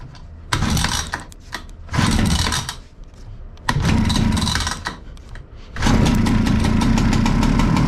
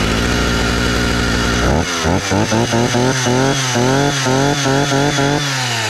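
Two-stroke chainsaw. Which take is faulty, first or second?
second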